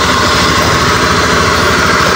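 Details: Honda Scoopy eSP scooter, complaint: stutters and won't ride when cold. Idle test, with the tank to be opened because the O-ring and filter were suspected unchanged. Steady, smooth, even hum with no stumble or misfire; the cause was found to be a clogged injector filter.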